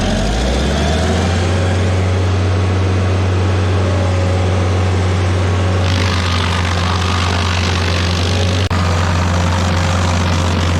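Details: Stump grinder with freshly rebuilt engine (new rings, cleaned piston), first job grinding a willow stump: strong steady low drone holding even speed while chewing wood, no knocks or misses; oil on heat shield later burnt off; normal running under load.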